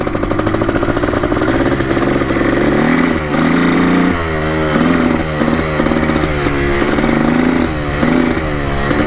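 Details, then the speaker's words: 1987 Yamaha YZ490 two-stroke after carb cleaning and fresh fuel, warmed about 6 minutes, riding test: revs rise and sag unevenly, stuttering and flattening instead of clearing out; bogging under throttle. "it's pretty boggy for sure"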